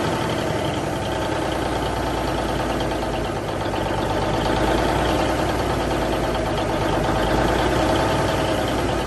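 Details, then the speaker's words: 1971 Peterbilt 352 diesel after fuel line and filter work: a lumpy idle with occasional dropped pulses, a slight miss, throttle touchy, turbo working. "It's got a little bit of a mist. I don't know if you guys can hear me or not. It sounds like it's got a little bit of a mist, but at least I know that the engine's running, or it will run."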